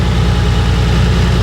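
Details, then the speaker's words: Nissan R34 at idle after the coil from cylinder 4 was moved to cylinder 1: pulling that coil leaves the slightly lumpy, uneven idle unchanged, showing no spark. Misfire from a dead ignition coil. "coil number four was bad so I swapped it over to number one and I tried to video the noise but I pulled number one no noise no spark"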